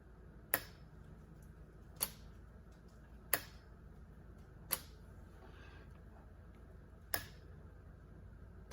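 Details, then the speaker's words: Chevy Impala with P0449 code: new EVAP vent solenoid plugged in and commanded on and off with a scan tool, six sharp crisp clicks at uneven intervals in a quiet space, normal switching. "you can hear that clicking."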